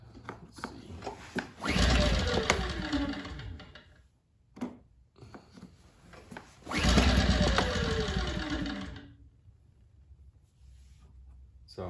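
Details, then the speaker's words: Firman 2100i inverter generator run all night over loose dirt, suspected low compression: two hard recoil pulls give quick chuffing that never catches. Cranks but won't start; a leak-down test follows. "first thing it it actually kind of sounds like it wants to start a little bit uh let show you you pull it real good yeah that time it didn't really do it"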